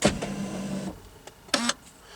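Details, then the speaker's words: Corvette with steering column lock fault causing stalls at 1.5 mph; key turned on/pulled, a short electric motor whirr under a second then clicks from behind the tilt switch; column lock actuator engaging although it should have been disabled. "that's the electronic lock and that should have been disabled"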